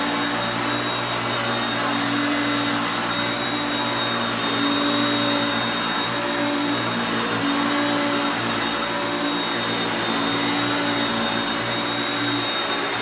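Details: Hoover Concepts self-propelled upright vacuum on carpet. Even, steady motor roar with constant whine, no surging, rattles or grinding; normal running.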